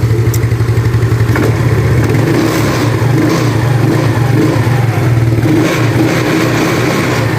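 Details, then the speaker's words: Yamaha Mio Sporty carburetor scooter, after replacing the worn needle jet and carb vacuum: revs up and settles smoothly under a little throttle with no stutter; idle normal, earlier hesitation was the loose needle jet. "Sekarang kita coba gas kita coba gas sedikit ya seperti tadi ya bagus ya dia tidak merebet ya"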